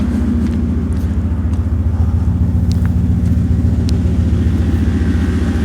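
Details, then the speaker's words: Mercedes R107 SL convertible, 35+ year-old gasoline car, hood open, heard walking around the engine bay before inspection: deep, steady low idle rumble of about 2.5 pulses per second with no ticking; the exhaust is too loud and resonates on the freeway. "Somebody's going to say, well, Kent, that's really a cool rumble, but let me tell you, when you get on the freeway and you have that resonance coming up through the car, it's very annoying."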